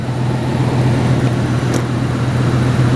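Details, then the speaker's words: Lincoln Town Car V8 just started after a tune-up with new plugs and wires: smooth, even idle with a steady low burble and no misses, ticks or knocks; engine sounds healthy. "that motor sounds so happy."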